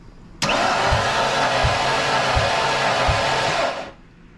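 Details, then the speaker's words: Cranking compression test on project "Two Tone" that won't start: steady starter cranking with slow, weak, uneven compression thumps; cylinder made only about 50 psi versus roughly 150–170 expected, so low compression. "it actually made 50 psi though yeah that's probably the most one we should be making anywhere from 150 to 170 roughly"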